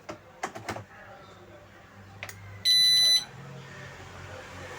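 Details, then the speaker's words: Whirlpool top-load washer PCB, power-supply capacitors replaced, known-good pressure sensor fitted: on start, a few clicks then one flat high half-second beep as the PE error still shows; other causes still to check. "Direct PE എന്നുള്ള error വരുന്നുണ്ട്. ഞാൻ ഇവിടെ കൊടുത്തിരുന്ന ഈ ഒരു pressure sensor correct നല്ല working കണ്ടീഷനിലുള്ള ഒരു pressure സെൻസറാണ് ഇവിടെ കൊടുത്തിരിക്കുന്നത്."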